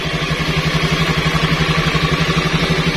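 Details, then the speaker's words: Old carburettor Honda Scoopy scooter, after wiring a direct starter circuit bypassing the CDI (previously only clicked like a weak battery): engine catches straight away and settles into a steady, even beat; starter works normally. "Oke, di sini bisa didengarkan kalau suara starter untuk fungsi dari starter ini normal, langsung bisa ngangkat."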